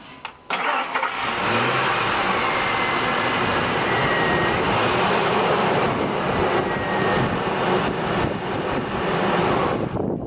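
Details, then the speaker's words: 2001 Ford Expedition 4.6L Triton V8 with the original 15-year-old Ford chip key: a quick starter click, then it catches at once and settles to an even run, a normal start after the spare key was rejected. "thank you and that was with the board key itself with the proper programming chip inside"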